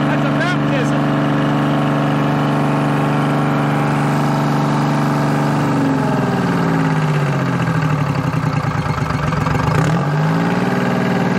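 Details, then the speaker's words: Bantam C350 crawler crane, believed to have a Detroit 3-53 two-stroke diesel, parked about 20 years; even, low drone firing steadily on all three cylinders, speed drifting a little later. Normal idle. Later suspected of having run out of fuel or been idled too low. "it doesn't sound bad at all it's hitting on all three i don't know it's detroit's man that's they're not a lot of power but they are a lot of reliability they always run if they spin they run"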